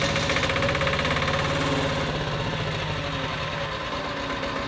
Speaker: Now, we're working on this little compressor, which I'm oddly very excited about for some reason. It's just cool cuz it's like this little enclosed unit that uh packs a pretty good punch as far as power goes and air flow.